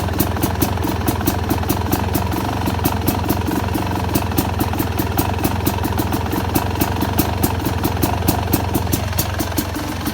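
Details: Two-stroke Yamaha YZ250X idling with pulser coil set for more ignition delay (retarded timing): fast, crisp popping idle over a steady low thrum, firing slightly ragged; cause suspected, not confirmed.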